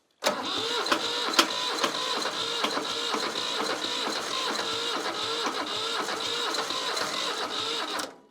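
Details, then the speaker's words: Old Shibaura diesel tractor that sat for years, cranking on a fresh starter after glow plugs and starter fluid: steady fast cranking with even compression beats and a few stronger puffs, never runs; owner suspects air in fuel lines. "It wants to. It really, it's on the verge. It's just that little. More glow plug."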